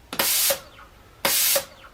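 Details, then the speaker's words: Home-built Arduino-controlled minimum quantity lubrication pump for CNC mill, manual mode: sharp hissing air bursts as the air control solenoid switches on and off about twice a second, regulator dipping slightly; working normally. "You can see and hear that the air control solenoid is actually switching on and off about twice a second, and you can see that the pressure regulator does drop a little bit whenever we turn on the compressed air supply, but that seems to be working."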